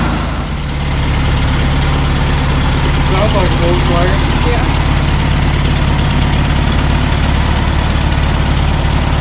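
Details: 1972 VW Super Beetle revived after about 20 years in storage, with carb cleaning and fuel now reaching it; a steady, even low rumble with no knocks, misses or surging. Healthy idle.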